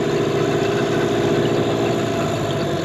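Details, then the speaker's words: 2003 Mercury 15 hp outboard after restoration, throttle knob twisted up to high rpm: steady even buzz at raised revs, no misses or knocks; runs perfectly, normal high-rpm run. "so that the motor runs perfect"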